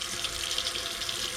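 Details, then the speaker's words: Water heater refilled after anode rod replacement; hot water tap at nearest kitchen faucet running with steady hiss and sputtering bursts as trapped air bleeds out, normal purge. "This shows that we've got the water again going to the water heater, and this is going to bleed any air."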